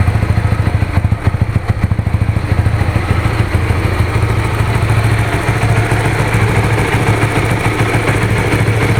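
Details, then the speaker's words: Honda Supra GTR 150, fuel-injected, nearly 2 years of use: a quick crank catches, then a steady low single-cylinder putter settles in without ticks or rattles. It starts and idles normally. "Tuh, gimana teman-teman? Suaranya masih halus kan? Nggak ada suara aneh-aneh gitu."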